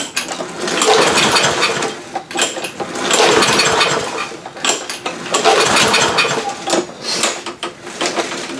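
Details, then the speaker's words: Free roadside Lawn Boy push mower, tried in garage without air filter, damp from rain, fuel left in tank: three slow pull-cord rips about two seconds apart, never fires; no-start, carburetor suspected, gas later found nasty. "nothing so to the carburetor it is all right so we'll just start pulling apart the carburetor see what happens"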